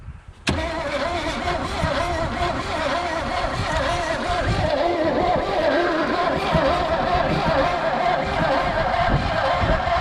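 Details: Abandoned Chevy Vega wagon with 350 V8 and 4-speed, sitting 15 years in a field, possibly weak battery and jury-rigged cable: starter turns the engine steadily about ten seconds but never fires; cranks without starting, cause suspected, not confirmed.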